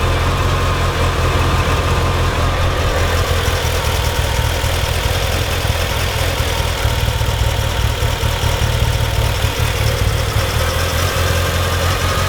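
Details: Mitsubishi EVO first real startup after fuel pump wiring work, no air filter fitted: low, lumpy idle that shakes and wavers, smells very rich, no check engine or oil light; revs smoothly to 4,000 rpm, rough idle cause unknown.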